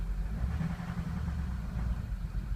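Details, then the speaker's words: Ford 6.0 Powerstroke diesel with codes P0404/P1335: deep rumble lurching and stumbling as throttle comes in, smoky exhaust; EGR valve stuck open bleeding off boost, likely failing EGR cooler. "so you hear it stumbling real bad if I go in highlight the vgt so all the smoke coming out of the exhaust too"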